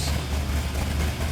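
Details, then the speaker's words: 1967 GTX 440 Super Commando idling: deep, uneven loping rumble, low and steady with a choppy beat, then a little rpm. Normal lopey idle. "listen to that that sounds good not tell me that did not sound that sounds good that sounds really good"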